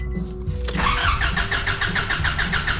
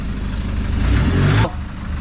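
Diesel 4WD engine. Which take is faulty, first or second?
first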